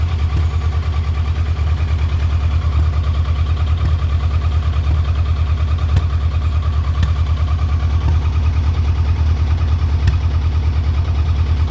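Loud, lumpy low idle with an uneven pulse of about two beats per second and slight stumbles; a rough-running idle, cause unclear.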